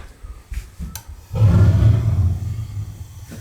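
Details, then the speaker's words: Gas water heater after relighting an out pilot: quiet clicks, then a soft low whoomp settling into a steady, even roar as the burner lights cleanly. Normal burner ignition. "promising that sounds good right"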